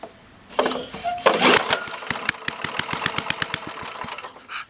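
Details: 21-inch Craftsman lawn mower with Tecumseh engine, rain-exposed, air filter removed, choke faulty and primer doubtful; after the pull it catches with uneven firing, won't hold steady speed, then dies. Governor pulls carburetor throttle; carburetor suspected, not confirmed.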